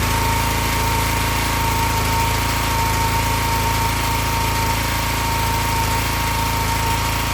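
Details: Excell XR2500 (DeVilBiss) pressure washer, 5 hp Honda engine, after replacing bad spark plug that caused stalling after 15 seconds: fast, even single-cylinder beat with no misses, surging or dying off; running smoothly.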